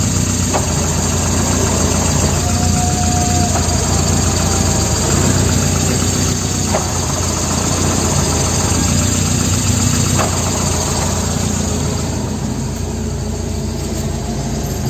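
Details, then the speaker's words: Manual-transmission car at idle: a rough, rattly growl from the gearbox/clutch area is heard with the clutch pedal released and disappears when the pedal is pressed; a transmission or clutch release problem is suspected, not confirmed. "Oke jadi kali ini yang terjadi adalah ketika diinjak suara berisiknya hilang dan ketika dilepas ada suara berisik dari transmisi atau bunyi dari kopling"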